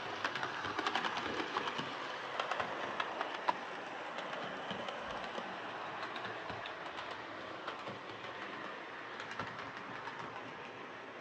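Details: Hornby R2553 Princess Coronation Class "City of Bristol" model locomotive after repair of mangled rods and noise/traction issues: light, even clicking and whirring on the track with no catches, stalls or stutters; normal running.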